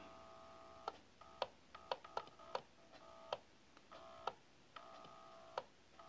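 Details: Herbalizer vaporizer when turned off: thin reedy buzz between sharp taps from loose magnet ring the bowl attaches to vibrating; keeping bowl on base stops it.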